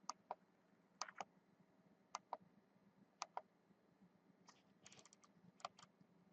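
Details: New Rockford Fosgate RFX9200 car radio, powered on after its faulty middle menu button was refitted: crisp, light clicks in pairs and short runs. The menu button switches cleanly and the menu works.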